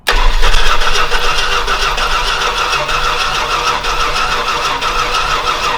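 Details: Old Stewart & Stevenson aircraft tug with a vacuum hose hooked up and plenty of fuel getting through: the starter churns steadily at about four beats a second with no firing or pickup; it cranks but won't start.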